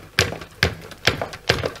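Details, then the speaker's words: White Siberia Sputnik electric scooter suspension without dampers: sharp metallic knocks of about two a second as the suspension is pumped and rebounds; fitting anti-knock dampers fixes it. "при работе подвески у этого самоката отчетливо слышен стук"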